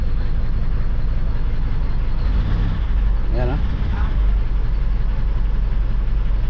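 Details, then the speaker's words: Hyundai H100 with D4BB diesel that stalled after driving through floodwater; water was cranked out through the heater plug holes and the oil changed. At idle it gives heavy, uneven clatter with an irregular beat, loud and shaking: running rough, with white smoke. "Pakinggan natin kung gaano kaingay. Yan o. Tapos nanginginig."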